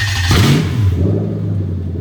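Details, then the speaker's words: Lexus SC430 3UZ-FE VVT-i V8 on plug-and-play harness for IS200 manual swap, engine just over cold, starter circuit test: brief starter whir, clean catch into steady, even low idle, no knocks; normal start and idle. "fantastic so that is the starter circuit that has gone down so that is fantastic"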